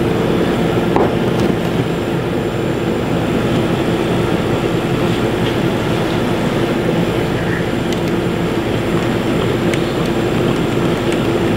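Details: Beverage Air UR30GE commercial refrigerator after start-capacitor replacement, charging with R134a through a tap valve: steady, even mid-pitched compressor hum, no knocking or rattling; compressor running normally, interior reaching 35 degrees.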